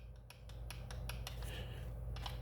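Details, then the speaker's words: Speed-run RC car with an AK-917/787 mod 1 pinion and spur gear, spun by hand: a light, even run of tooth ticks all the way around with no skipping clicks, showing good gear mesh. "if you can hear that all the way around guys you got a you got a good mesh"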